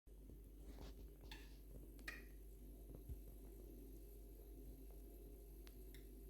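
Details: Two-year-old Atlant refrigerator, constantly creaking, crackling and clicking whenever the compressor runs since new, nothing done under warranty: low steady compressor hum with irregular sharp clicks and faint cracks every second or two; source unidentified.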